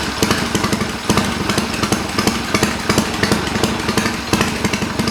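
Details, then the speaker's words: Triumph bobber build, cold after several hours off, ridden a couple hundred miles, carb needle drop and head bolt retorque planned: steady loping idle, even pulses about three per second; idling healthily. "I'll go ahead and get her fired up here. It's cold, hasn't been run for several hours now, so I'll let you hear it."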